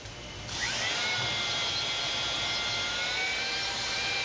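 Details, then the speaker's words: Honing an EMD (GM) diesel cylinder liner with a drill motor at 345–500 rpm: with correct stone pressure a steady grinding is heard, the motor whining and straining slightly under light load. "as the home turns if the pressure is right you'll hear a steady grinding noise"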